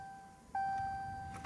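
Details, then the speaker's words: 2015 Ram EcoDiesel with about 125 miles, morning start attempt: a steady chime, then a single sharp starter click with no cranking. It needs the starter manually jumped about seven or eight times before it starts; cause not found, going to the dealer. "here's my Dodge Ram 2014 got 125 miles on it this is all we get when we go to start it"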